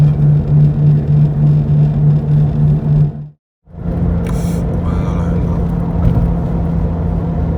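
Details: Toyota 86 ZN6 automatic, 57,000 km, used car: low steady droning whirr with a throbbing pulse while driving, felt through the whole cabin floor near the wheels; cause is play in a worn hub bearing.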